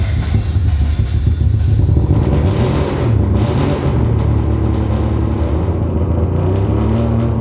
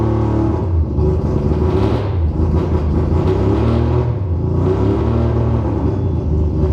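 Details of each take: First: Rebuilt 20B three-rotor RX-7 engine after cleaning all six injectors and checking their wiring, with the fuel adjusted: deep, steady rumble holding revs evenly without stumbling, much better; it previously broke up at 4000 rpm. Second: Rebuilt 20B three-rotor engine in an RX-7: rough, lumpy idle with an uneven low rumble and off-beat chuffs; gauge shows it running lean, not getting enough fuel.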